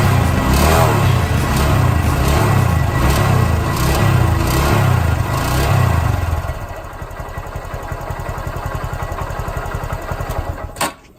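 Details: Honda Grom engine: small single revs that drop back to idle with a steady rapid clatter, about four ticks a second; top-end rattle of unconfirmed cause, owner suspects cam chain noise.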